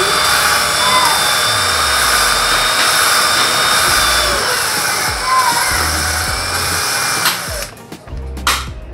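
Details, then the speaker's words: Honda Supra Fit motorcycle head (owner complained of noise and weak power), valve lapped with compound for about a minute: steady even hiss as the valve turns on its seat, no gritty catch left; seat lapped smooth enough. "Oke teman-teman ini suaranya sudah halus Ya sudah halus sekali jadi perkiraan saya ini sudah cukup jadi kita bersihkan ya"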